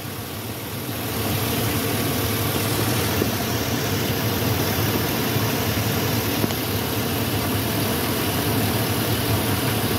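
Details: Warm 5.3 V8 idling steady and even with the oil cap off and the lifters and rockers visible, a smooth low rumble with no misses or knocks; plenty of oil up top and good oil pressure.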